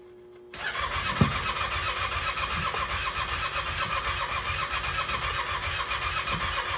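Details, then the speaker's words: 2018 Yamaha Wolverine 850 X4 side-by-side, Copart salvage, battery just charged so solenoid no longer just clicks: starter cranks briskly about six seconds but engine never fires; fuel appears present, crank-no-start. "Looks like we have fuel and everything. It looks like it wants to start. That's a good sign."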